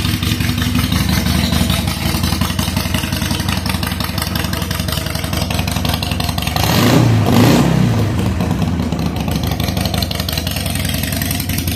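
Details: 2007 Harley-Davidson Sportster 883 Low idling after reassembly: steady, lumpy V-twin idle with an even beat and one brief throttle blip; fuel pressure about 60 psi, within the 55–62 spec, and running well.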